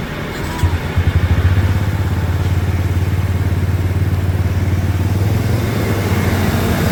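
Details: 2003 Ford Expedition 5.4L Triton V8, just started after heater valve replacement, flush and refill with 50-50 green coolant: deep, even idle with a steady low burble and no knocks or ticks; sounds real healthy.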